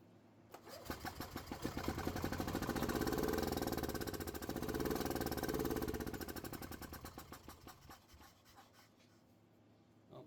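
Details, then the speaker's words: Gas Club Car golf cart with starting fluid sprayed into intake, airbox off: fast chuffing that builds, fades, surges and dies as spray runs out; has air and spark, carburetor not delivering fuel. "I guess what's next is pulling off that carburetor and going through it and see why it's not getting fuel where it needs it"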